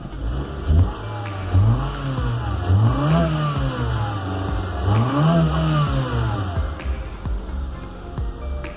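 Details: 2002 Honda Civic EX after rocker arm assembly work and four new spark plugs: engine revs up and falls smoothly through several blips, no knocks or rattles, music partly covering it; normal revving.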